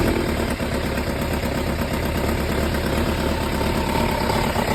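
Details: Kawasaki ZZR1100 D after muffler swap to an SP Tadao Tech Surf exhaust, at idle: loose, uneven clatter; owner unsure whether it is mechanical noise or an exhaust leak.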